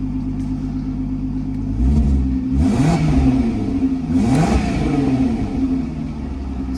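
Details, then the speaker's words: MK5 Golf R32 VR6 turbo with a new custom 3-inch straight-through exhaust, checked for leaks at idle: steady engine note with two clean rev blips rising and falling smoothly, no ticking or puffing from the joints; exhaust sealed, sounds really good. "good to me yeah sounds really good to me"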